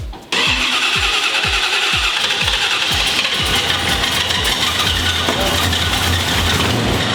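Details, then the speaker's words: 1970 Chevy C10 truck at first start-up: starter cranks a few quick turns, then the engine catches with a steady high-pitched squeal; the crew suspects the flex fan makes the noise, not what they first thought, unconfirmed. "oh i think it's a stupid faint yeah you think the fans said they're making all that noise yes it's a flex fan"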